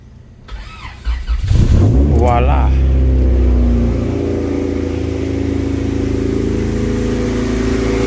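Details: Rarely used Honda EG hatchback with a weak battery, started using a power bank jump starter: a short crank, then the engine catches, flares and settles into a steady even idle. A healthy start.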